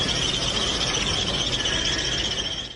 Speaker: Es una anormalidad de contacto de correa. El sonido anormal es así.